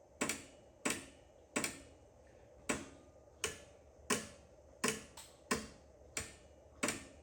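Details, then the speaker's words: Edsel push-button shifter, in a quiet cabin: sharp, dry, slightly uneven clicks a little over one per second. The mechanism is wiggling because a support brace is missing and the rod is bent and worn; a bracket needs to be fabricated. Repetitive ticking from the shifter. "That is the uh shifter. Okay, let's uh Okay, I'm going to stop there. it's wiggling."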